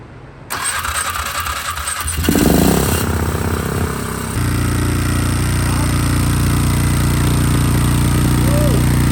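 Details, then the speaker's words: Fire-damaged 2006 Polaris 500 ATV, stored 2 years, first good start after a correct replacement wiring harness: starter cranks a few seconds, then the engine catches into a smooth, steady idle with no misfire. Normal start and idle. "we just throw that in and try to turn it over and find finally we just started we got a lot of small cuz there was first good start and full running ATV at that time so"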